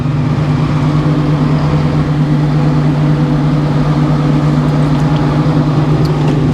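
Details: Sawmill engine running at speed before sawing an oak log with a new sawblade, after being slow to come up to speed: steady even low drone holding one pitch, no surging or knocking; running cleanly.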